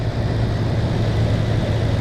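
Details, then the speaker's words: 2006 Toyota Tundra V8 idling with a deep, slightly uneven hum; cylinder 2 misfire, ticking still heard with that ignition coil pulled, possibly firing intermittently. "So, we've still heard ticking coming from this cylinder after we pulled the coil out. And that is the correct cylinder 2."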